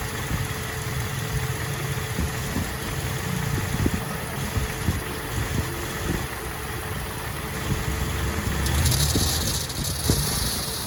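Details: Toyota Vigo with a 2TR engine: idles with irregular metallic ticks and a faint rubbing tone, louder on acceleration and release. The cause is a hydraulic front belt tensioner worn with age, typically due for replacement around 200,000 km.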